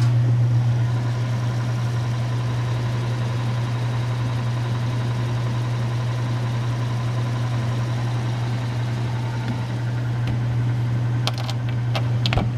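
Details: 1931 Frigidaire W-5 refrigerator condensing unit, just started after charging: low steady hum with a soft even pulse, no knocking or rattle; compressor runs nice and quiet.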